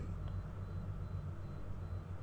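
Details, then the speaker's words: Cosmos electric fan on speed 3: fast but low, rough noisy hum; complaint slow spin, noise, stops after a while on speeds 1 and 2 — dirty, dry shaft bushings. "di sini pertama-tama kencang teman-teman tapi berisik gitu teman-teman ya Nah di sini apa sih penyebabnya"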